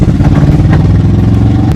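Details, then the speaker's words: Honda CRX project car with spark plug leads in the wrong firing order, fast idle near 1,500 rpm; rough, stumbling, lumpy idle, sluggish with no throttle response, owners unsure if all cylinders fire — misfire. "Yeah, I don't know if it's all firing on all cylinders. It's either the timing or it's not firing on all."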